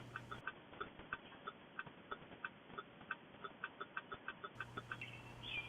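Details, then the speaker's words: Truck rear turn-signal connector under the vehicle, lights losing ground: uneven flasher clicking near three per second, faltering as the connector is moved and makes and loses contact; intermittent connection at the connector. "as i move the connector the lights come on and off"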